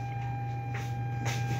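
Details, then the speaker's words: Bluetooth speaker amplifier humming at power-on, connected via Bluetooth with volume up: steady low hum with a thin, unchanging higher tone; hum caused by amp sharing its power supply with the Bluetooth module. "Ayan may haming talaga siya guys Ayan oh maingay na tunog"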